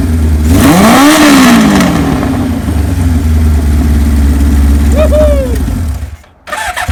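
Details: 1978 Kawasaki KZ1000A inline-four, estate bike believed to have original miles, maiden hot-wired startup with a small gas leak: catches cleanly, revs up and falls back to a steady idle, then another quick blip; normal start and revving.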